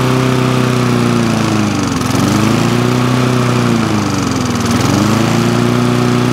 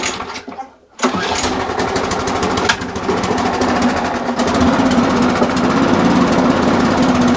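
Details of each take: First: Briggs and Stratton lawn mower engine that would not start, running after quick carburetor clean and main jet refit, air filter removed; strong steady drone swelling and easing as governor works; starts, stops, runs normally. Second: Briggs and Stratton push mower after a new spring and new air filter: primed and pull-started, it chugs unevenly about two beats a second; speeding it up changes little, so the dirty carburetor needs looking at and possibly a gasket and diaphragm change.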